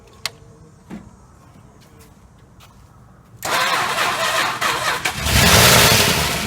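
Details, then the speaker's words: 1968 Chrysler 300 440 V8, long-sitting car: quiet clicks, then catches with a loud rush and rises, unsettled, blowing rust from tailpipes; oil sprays from a loose oil filter. "yesterday we got the closest it was running but kept cutting off so since it's running uh and continuing to run that does prove that the the ballast over here is bad because i did bypass it and it's continuing to run"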